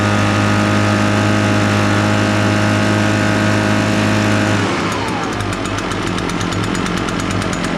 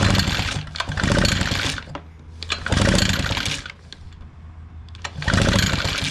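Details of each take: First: Echo PB-580T backpack blower, brought in running rough and not revving, now back in service: kill button off, low idle, purged and choked, strong even two-stroke roar dropping to a fast steady idle then shut off; normal healthy running. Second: Echo PB-580T backpack blower, brought in running rough and not revving: three quick rope pulls during a spark check spin the two-stroke over without firing, no spark with switch not off.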